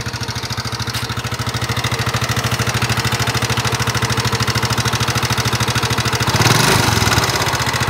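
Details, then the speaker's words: Nmax (2019) scooter, engine recently repaired with piston and block replaced per owner. Pronounced, fairly even ticking at idle about three beats a second; abnormal engine noise, cause unconfirmed. "motor teman-teman nmax suaranya kasar pada bagian mesin utamanya dari pengakuan si konsumennya"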